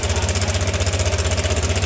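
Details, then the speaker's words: Yamaha All New NMAX 155 at idle: a fast, steady ticking rattle like a sewing machine from a loose cam chain. The cam chain tensioner spring has likely broken or come off its seat; the fix is replacing the tensioner. "Dia bunyinya seperti suara mesin jahit."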